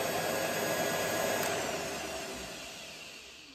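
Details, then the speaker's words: Treadmill motor on mill-lathe combo at about 1,000 RPM, electric brake disconnected: steady whine and hum fading smoothly as power is cut, spindle coasting to a stop in about 3 seconds with no brake. "we shut it off takes about 3 seconds to come to a stop"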